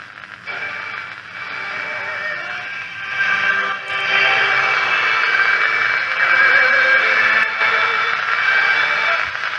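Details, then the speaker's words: Restored 1963 Romanian Carmen 2 valve radio, working after a faulty oscillator was fixed; a new capacitor is still to be fitted. On shortwave in mid-afternoon, a distant, possibly Asian, station holds tune over hiss and faint whistles. Finding: normal shortwave reception. "so it sounds like china or somewhere we get quite a bit of the chinese stuff coming down right or stuff from asia at least"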